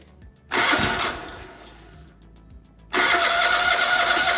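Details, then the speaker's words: 1998 Craftsman GT tractor, Kohler CV25S 24 hp with hydraulic lifters, first start after replacing a blown head gasket: short burst, then a steady even run with no knocking or misfire; runs normally. "well we got it all back together now we're gonna fire up here and see how she runs"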